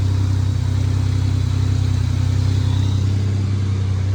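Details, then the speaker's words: Camaro off the road 20 years, after replacing the coolant temperature sensor it fired on first crank (old sensor maybe bad), small fuel leak remains; even steady low rumble at constant speed, no misses or knocks: smooth running. "I changed the temp sensor and this thing just fired on the first crank, and it sounds smooth."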